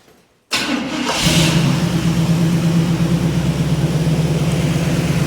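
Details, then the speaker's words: 1985 Chevy truck carbureted V8 after carburetor rebuild and stuck float replaced, previously died when put in gear: quick catch, then steady, even idle without hunting or missing; runs smooth. "sounds good. It's running smooth. And what it was doing, when we put it in gear, it was dying."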